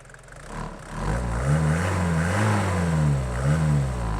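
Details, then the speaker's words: Abandoned Mercedes diesel van just revived, bonnet open: diesel revving and settling with open, hollow intake roar because the airbox is no longer attached to anything. "Got a bit of noise here because the airbox, she's not quite attached to anything anymore."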